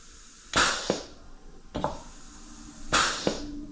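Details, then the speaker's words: Dental delivery unit with DCI 6310 foot pedal in a comparison room: three short air hiss bursts and a click per press, quiet between, no continuous leak; normal pedal operation. "Okay. It should be mostly quiet. Okay. And nothing should turn up here."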